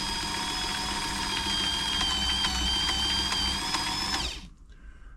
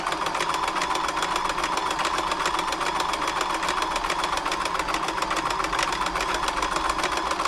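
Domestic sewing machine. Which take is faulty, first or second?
first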